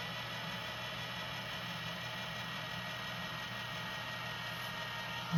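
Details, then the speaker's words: JVC GR-SXM330 Super VHS-C camcorder after repair (fix for clicking/E03 error): fast forward gives only a soft steady low whir, no clicking or clacking from the mechanism; normal tape transport fast forward. "But mainly, you can hear how quiet that transport is. The only thing you hear is the heads. You should not hear no clicky clacky. The transport should be nice and silent."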